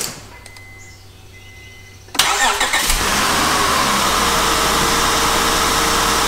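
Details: Honda with 102,000 miles at start and idle: a fast, even ticking clatter rides over the idle from valves set too loose, worn out of adjustment; a valve adjustment is needed. It sounds worse in drive as rpm drops.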